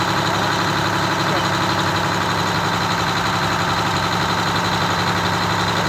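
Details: Detroit Diesel 6V92TA two-stroke in a Wanderlodge RV bus conversion: fast, busy idle with steady dense clatter, well above the normal slow lope; idle set too high, later brought down to about 600 rpm.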